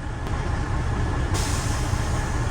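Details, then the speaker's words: Freightliner FLD with newly replaced quick release valve, diesel idling as air pressure reaches the 110s psi: steady rumble, then a sudden sharp sustained hiss as the air dryer purges normally at cut-out. "Just purged. Okay. Woo, and that thing hits a lot harder now."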